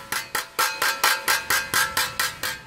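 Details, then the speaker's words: 2017–18 Toyota Hilux single cab: sharp ringing metallic clanks as the suspension is rocked, from both broken suspension brackets. "Fazendo uma revisão aqui, barulho na suspensão. Barulho de suspensão, tração, motor fraco. Sabe o que era barulho de suspensão?"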